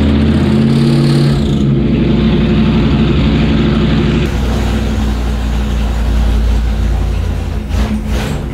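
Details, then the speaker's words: Gen 1 HEMI V8 on an engine dyno, first start of test: loud, lumpy running with a heavy shaking drone; the starter is noisy, and after starter adjustments the engine fights it, causing heavy vibration not seen in earlier tests, cause unclear. "besides the start of going a noisy coming a lot of noise out of it a lot of vibration there's a lot of vibration"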